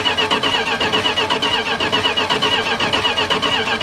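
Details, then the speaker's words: Derelict Dodge D150: the starter churns steadily at about two pulses a second without ever firing. No spark comes out of the coil; a bad distributor pickup or ignition module is suspected, probably not the ballast resistor, which is bypassed while cranking. "I have no spark coming out of the coil, which means we either have a bad distributor pickup or we have a bad ignition module or a bad ballast resistor."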